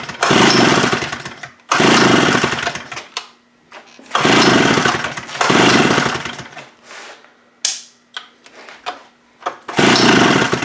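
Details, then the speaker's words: Stihl 041 AV chainsaw, given away free and dirty, started on full choke after carburetor cleaning and diaphragm check; catches in rough one-to-two-second bursts that sag and die between pulls, won't hold a run, cause still unknown. "What is your problem?"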